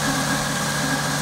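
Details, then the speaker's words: Toyota Supra manual/turbo conversion, timing being set with a timing light: steady but slightly lumpy idle under a high hum; mark on the pulley sits just behind 10°, retarded, so the distributor is turned to line it up. "see that lying on the pulley at the moment is just behind ten so he's gonna twist the distributor so it lines up that's where it needs to be"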